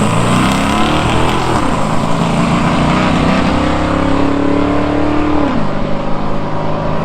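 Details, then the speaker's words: V8 muscle car's first drag strip run at full throttle, note climbing then dropping after the shift, slightly ragged uneven beat under load; owner thinks the misfire came from plugs fouled while idling to warm up. "as you can hear I was getting a bit of a misfire but I think this was just caused by the plugs getting fouled up whilst I was letting it idle to warm up"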